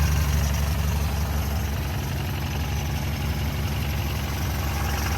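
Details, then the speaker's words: 1964 Ford Falcon wagon six, sat 46 years in a field with plugs removed, just started on its original carburetor: deep, steady, even low-rumble idle with no knocks or misses; normal idle, oil contaminated and due for change. "Idling on its own, purring like a kitten. I'm not going to run it long because I want to change the oil."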